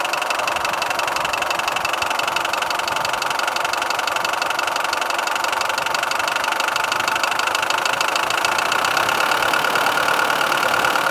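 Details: 4D56 turbo diesel with a sharp, high metallic single knock about three times a second over the clatter, loudest at the manifolds. Valves and rockers were checked, and the head, injection pump, injectors and turbo were recently renewed. The cause was shifted timing marks from a broken crankshaft keyway letting the pulley rotate slightly.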